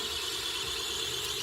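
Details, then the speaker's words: Modovolo Lift drone with distributed batteries, PID tuned too tight: steady piercing high motor whine; oscillation heard in motors rather than seen in banking, damped by high moment of inertia. "it turns out the Drone was tuned way too tight and so the type of oscillation that you see isn't really like visible in how it's banking but you can hear it in the motor"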